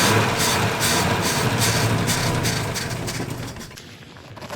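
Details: Volvo 164 B30 engine, first start attempt since 1994 after a cleaning and oil change; fuel leak noted, cylinder two plug found loose. Even starter pulses, about 2.5 per second, with no firing; slow to catch.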